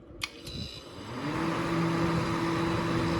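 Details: Thrift-store dehumidifier after tightening its loose motor, which had caused a horrible rattle: two switch clicks, then it spins up to a smooth, steady hum with no rattle; problem solved.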